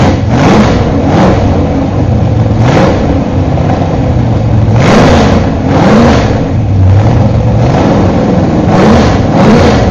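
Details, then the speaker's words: Freshly rebuilt 1968 Z/28 302 V8 with new Comp Cams flat-tappet 30-30 Duntov cam, headers, first start during cam break-in: lumpy uneven idle with repeated throttle blips rising and falling; idle not yet adjusted. "course I haven't even set the idle yet because we just got it running"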